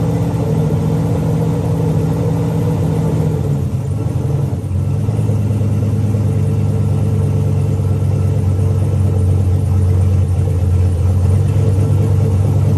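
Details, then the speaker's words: Turbo 4.8 V8 Blazer, Trick Flow 216/220 cam, Elgin 1838P, no exhaust or transmission, sat since March 2022: loud, deep steady idle near 1000 rpm warm-up speed with open-exhaust rumble; running evenly. "enlightle about a thousand RPMs until it warms up"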